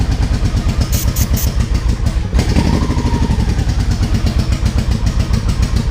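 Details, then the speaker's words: Motorcycle with pod filters and dirty carburetors, no choke, starter fluid sprayed into airbox while cranking: uneven lopey chuff, second cylinder catches briefly then drops out, running on one cylinder; carb cleaning suspected needed, not confirmed. "See how it you actually heard that second cylinder come to life and then it would actually take the throttle for a second and then it would shut back off into that one cylinder and then it would die back out."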